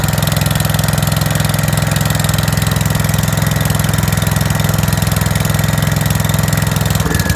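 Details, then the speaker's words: 5665 that was leaking gas out the carb, test run after carb work; loud steady low thump, slightly lumpy idle, running way too rich, choke tweaked while adjusting the main jet. "sweet did the trick and actually saw the other issue it was running way too rich"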